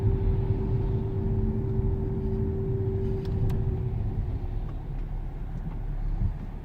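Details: 2008 Mercedes W211 E320 CDI V6 with 7G automatic: a steady mid-pitched whistle over low road rumble while slowing, appearing around 60 km/h and fading by 20 km/h. It seems unrelated to speed or RPM.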